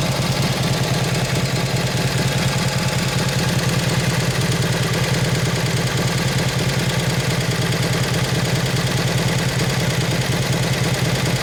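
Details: 1953 Harley-Davidson 74ci Panhead during carb tuning: loose, lumpy V-twin beat at low idle, slightly lazy and uneven; takes throttle a bit fat because the main jet is too big, rich running.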